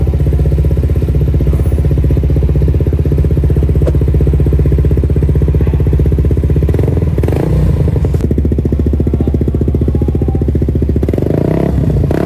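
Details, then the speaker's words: Suzuki GSX motorcycle whose owner complained of a rough, noisy engine, idling after a throttle body cleaning and fresh oil: steady, even idle thrum with a firm beat and no ticking or rattle. The engine noise is gone. "Nah, sekarang suara berisik di permesinan sudah hilang dari muka bumi ya, adik-adik."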